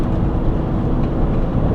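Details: 2015 Mini Cooper on a test drive after rear wheel bearing replacement: only steady low road rumble while cruising, no hum or growl building with speed; the new rear bearing runs quiet.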